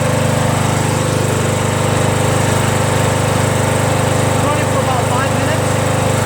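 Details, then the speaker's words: Small single-cylinder mower engine, previously smoking after sitting on its side with oil in the muffler, restarted to check smoke: steady even drone, regular beat, no misses or knocks; starts right up, runs cleanly. "so I'm gonna start it up right now and see if it still smokes no parked in the backyard right up sounds good"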